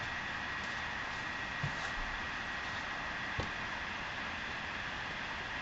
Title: Vaillant ecotec plus 438 droning vibrating noises